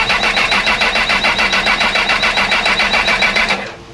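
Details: Honda CB1000R that broke down at a petrol station, a month after a new rectifier and starter motor were fitted. Fast, even cranking at about 3.5 beats per second with no firing while the injector ground is probed. Power Commander is suspected. Crank, no start.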